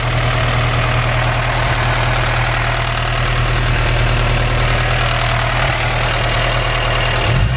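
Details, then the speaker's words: Supercharged Honda S2000 at idle: loud steady drone with a rough, diesel-like ticking clatter. It doesn't sound like a lifter and speeds up only slightly with revs; knocking at idle, source not yet found. "this sound funny don't sound like a lifter it doesn't speed up with the engine it does a little bit [Music] yeah it does it sounds sounds like a diesel"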